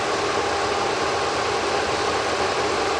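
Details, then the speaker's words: Supercharged Audi A6 rescued from a junkyard, jump-started, idling before warm-up: a steady, even idle under a loud cooling-fan rush, super quiet engine with zero timing chain rattle or ticking. "I don't know if you guys can hear it, but the engine is super quiet. We got zero timing chain rattle."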